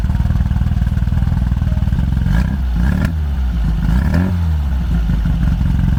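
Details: Orange 1972 VW Super Beetle with an air-cooled flat-four of unknown size, possibly 1600 with a big SK8 cam. It idles with a lumpy, uneven, loping beat, and worn ignition points and tired spark plugs are diagnosed as the cause.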